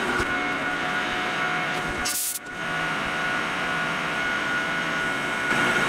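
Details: Lathe final finishing cut turning O1 tool steel boring bar stock outside diameter to about 0.750 in with a new insert: steady motor hum under smooth, even cutting hiss, no chatter or squeal; normal clean cut.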